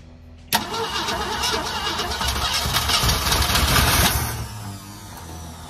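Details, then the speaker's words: One-owner 1969 Ford V8 with 52,000 miles, stored 23 years, with oil poured into the cylinders that is now burning off: catches first try, revs briefly, then settles into a steady, slightly lumpy idle. Still needs plug wires. "what do you think about that folks old girl still got some Life in Her"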